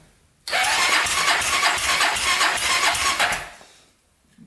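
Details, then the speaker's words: 1999 Honda 400EX carbureted quad with a new turbo, fuel sprayed in and choke on: the single fires and buzzes for about three seconds, then dies. It isn't drawing gas, and the owner suspects air leaks or a fuel problem. "stir it up for a brief second it doesn't look like it's uh sucking in gas though"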